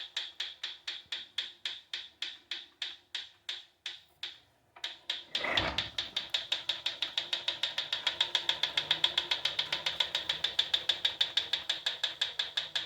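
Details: Proform Power C7L iFIT exercise bike: even rhythmic ticking, about three to four per second, keeping pace with pedalling from the flywheel. It has always ticked but is getting louder, and the wheel wobble is worsening. Bolts are tight and there is no visible rubbing; cause unknown.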